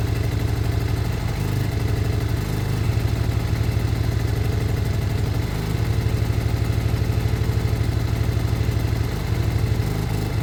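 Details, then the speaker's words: Lexmoto Michigan motorcycle after carb swap, warming up before idle is set: steady, even single-cylinder idle with a smooth low thump, no misses or clatter; running healthy. "sounds great I'm going to give it a minute to warm up"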